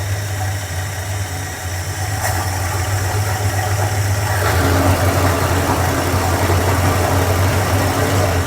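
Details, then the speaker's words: Tired 1976 Dodge Club Cab 318 V8 with low oil pressure, oil treatment added, idling roughly and very rich with a loose, uneven puffing and ticking chuff; a bad exhaust leak, plus oil leaks and a worn carburetor. "This thing is still leaking everywhere. Boy, that exhaust leak is terrible. What is going on there?"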